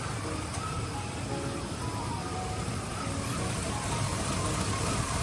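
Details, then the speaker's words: Chevy Silverado V8 idling after replacing exhaust manifold gaskets, bolts torqued to 18 ft-lb middle outward: smooth low rumble with the former manifold tick gone. "Put your spark plug wires back on. And finally, hook your battery back up. All right, as you can hear now, no ticking at all."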